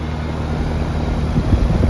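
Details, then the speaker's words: 4-ton heat pump outdoor unit in cooling mode, fitted with a new soft start, running on solar/LiFePO4 power. A low, steady hum settles into a smooth, even run with no clatter or strain. Running normally. "It says cool on. No, it sounds like it's running."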